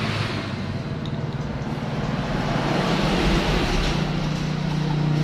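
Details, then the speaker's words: Yamaha Vixion that died suddenly, restarted after repair without replacing ECU: even engine putter about four beats a second with street background, settling as it warms; normal running. "Wah berhasil ya sahabat semua kita sudah berhasil melakukan ini ya"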